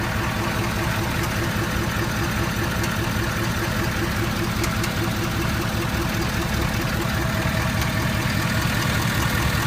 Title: Clicking noise ford 6.7